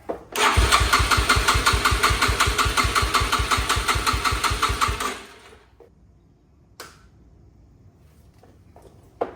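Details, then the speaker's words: 2006 Yamaha TT-R230 bought non-running (92 psi compression), first start on choke with no airbox coupler on the carb: fast, even single-cylinder thumping about five beats a second, runs rich with idle set far too high, so the carb needs tuning. "I'm glad we know that the engine's actually running uh it seems like it's running on the Richer side and the idle is set way too high"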